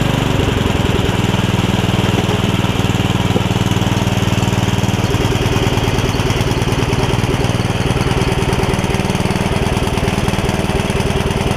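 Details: Free Yard Machines riding mower whose single-cylinder engine filled with water after sitting with air filter off; after repair it runs rough with a lumpy, uneven thump under deck load, possibly rich, with smoke and rust; owner forgot to gap valves, suspects leftover water.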